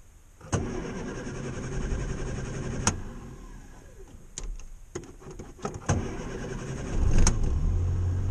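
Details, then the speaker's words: Morris Minor just converted from electronic ignition back to points, set by eye at about 15, battery at 12.2 volts. Short cranking bursts, then the engine catches and settles into an even, steady run; normal start. "he's away. And he's sounding alright."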